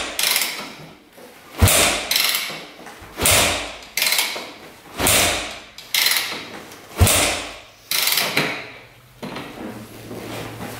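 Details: 2001 Yamaha WR250F street-legal dirt bike, just rebuilt after sitting years, kick-started with choke on: about seven kicks, sharp whoosh and clatter, no firing; cranks but won't start; owner hopes valves seat, spark not yet checked.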